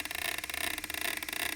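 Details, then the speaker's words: Demo of a single U-joint, as at a steering knuckle, with constant input speed. Fast, even pulsing of about twenty beats a second over the whirring drivetrain grows as the angle rises: little change at 20°, clearly audible at 40°, showing shaft speed fluctuation. "so the input is totally constant now this is exactly what would happen on your steering knuckle where there's only one U joint so right here about to about 20° not much difference 40° you can really start to hear it"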